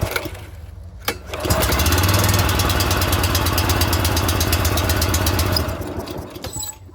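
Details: Scag 32-inch commercial walk-behind mower, just fitted with a new pull cord after the old one broke: one pull and the small single catches at once, running steady and even about four seconds before winding down; starts fine.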